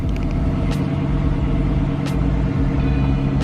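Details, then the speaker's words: 2007 Chrysler 300C 5.7 Hemi after alternator replacement, fixing a whine with low voltage and battery light: steady, even low idle with no knocks, misses or whine, battery reading 13.9–14 volts; healthy idle. "now you can see a battery print out 14 volts let's go to the bigger one and we have it 13.9 and as you hear you don't hear that whining noise anymore"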